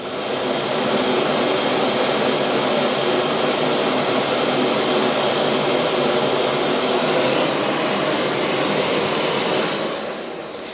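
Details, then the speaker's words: Dreame D20 Plus base station auto-empty triggered manually from the Dreame Home app with the robot docked: a steady, even high rushing roar for about ten seconds, then it winds down. This is a normal, healthy auto-empty cycle. "this is basically what it should sound like."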